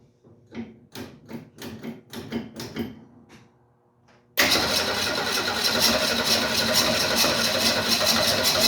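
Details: 1968 Ford Mustang, carburetted: after pumping gas into the carburetor, about four seconds of slow, even cranking at roughly three turns a second, then it catches and runs loudly. A reluctant hard start, possibly from fuel not being drawn from the tank; cause unconfirmed.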